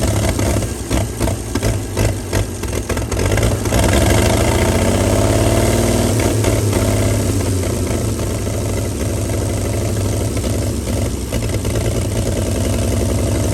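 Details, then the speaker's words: 1937 Chevy truck six, running on gasoline after 45 years sitting, a few uneven catches then steady even idle with no knocking or missing, no smoke; shut down because it warms fast and boils the water. "well I got to say she runs pretty d d good we shut her down cuz she's starting to get warm real quick yeah she's starting to boil that water in there she gets warm fast"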